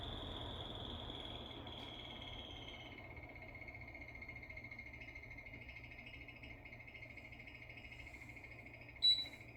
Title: 에어컨 소음 도대체 어디가 문제인가요 ㅠㅠ